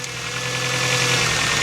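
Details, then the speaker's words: Ford Transit Connect petrol van, cold start after a severe misfire and a horrible noise: steady, even, healthy idle with no knock; owner suspects he dislodged a ceramic piece from cylinder 2. "Oh, that sounds really good. Sounds lovely and healthy."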